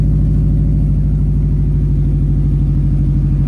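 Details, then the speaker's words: 2005 Subaru STI, rebuilt after a blown motor, first start with a new turbo; residual oil burning off the exhaust: steady, even low burble at idle with no ticks, rattles or whistles; healthy idle before a boost smoke test. "so we'll let it idle for a little bit and then we will take down the road and see if it does not smoke in boost anymore"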